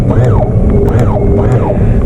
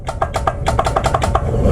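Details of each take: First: Boat outboard tilt/trim motor, blue wire disconnected from the relay and red wire touched to apply battery power directly: steady low electric hum under load as the engine tilts up; motor works, so a helm-switch failure points to the relay. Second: most likely the problem is going to be the relay the really is not working that's the reason why when we click it from the helm and when we click it from this button here all that makes it's a clicking noise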